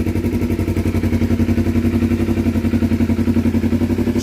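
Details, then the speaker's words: 2012 Kawasaki Ninja 250R after carb reinstall, gravity-fed test tank, no choke, airbox off: steady even putt-putt idle with no misses or surges; normal idle. "great success sounds good perfect idle didn't have to use any"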